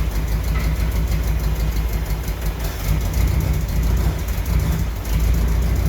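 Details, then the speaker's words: 1968 M151A1 military jeep on a lift, freshly started; it still needs a fuel pump and carburettor rebuild: even, steady low idle thrum with a smooth firing beat and no knocks or misses; owner says it sounds good. "I think that's proof of concept it's getting a little hazy in here I guess I'm definitely happy with it it sounds good"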